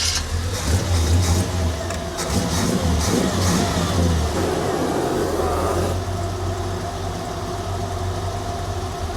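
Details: 1957 Chevy that broke down on day 1 of the Hot Rod Power Tour, first start after roadside repair with everything back together: uneven revs on start-up settle after a few seconds into a smooth, steady low idle with no misses or knocks; normal idle.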